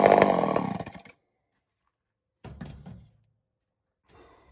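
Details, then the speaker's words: Homelite Super XL-923 82cc chainsaw test fire, on-off switch troublesome: short, crisp full-throttle bursts that rev up and drop off cleanly; tuned up easily, slightly rich on low speed, loud, healthy and snappy. "I'm actually quite surprised. Not bad at all. Not bad at all. She tuned right up pretty easy. Got a little rich on the low speed, but I'm very surprised. She's loud though."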